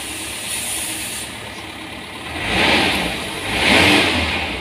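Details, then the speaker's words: Espass Zebra engine after distributor ignition timing adjustment to cure overheating and lost power: catches and revs up twice smoothly with no knocks or misses; runs smooth and temperature normal. "suaranya masih halus suhunya normal"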